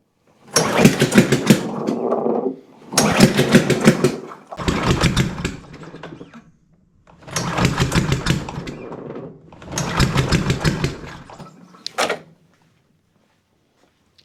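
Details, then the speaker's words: Cub Cadet push mower, MTD Powermore engine, air intake off: fires and runs ragged about two seconds then cuts out, repeatedly, after first running perfectly for 30 seconds; popping, won't stay running. Loose valve rocker studs. "Very interesting issue. When I first started it up, it actually ran perfect for about 30 seconds before it started doing that. Timing's off. Valves are sticking. Something's going on in the valve train or the timing that's causing this issue."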